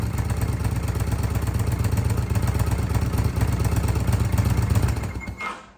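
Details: 2005 Kawasaki VN800C V-twin, about 130,000 km, off the road since about 2015: low, loping idle with an even beat about two per second, no knocking or rattles, then shut off.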